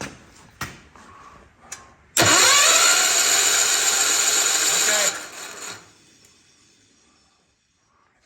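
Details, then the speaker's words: Hot Rod Ford LGT 125 garden tractor, spark plug back in, cranking on starter: about three seconds of smooth even whir, steady pitch, no knocks or binding; engine not locked up, bearings sound good. "pto's spinning that's good it means it's not locked up that sounded pretty smooth so the bearings sound like they're good"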